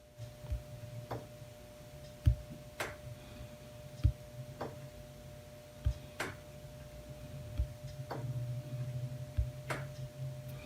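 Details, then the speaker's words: EVAP canister vent valve, recorded a few feet from the vehicle during a Foxwell NT809BT scanner active test commanding it on and off: sharp single clicks every couple of seconds over a quiet room, the valve switching normally. "so I could hear it. I could hear it clicking all those times that it went on and off."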